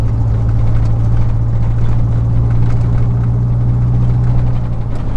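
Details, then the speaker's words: 2000 Chevy 4.8 V8 truck with four ignition coils deliberately unplugged, driving: steady rumble but thinner and choppier like a small four-cylinder, still has power and climbs; running on four cylinders. "It don't sound nothing like a V8. It sounds like a little Nissan truck."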